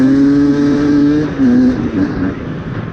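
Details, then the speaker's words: 2024 Beta 250RR Racing 2-stroke with 38 mm Lectron carb, after leaning the mixture screw half a turn, riding in woods in second gear: revs up quickly with a clean rising pitch and drops off smoothly; crisp throttle response, good low end. "Crisp throttle response. Yeah, I'd say that runs pretty good now. Nice and crisp."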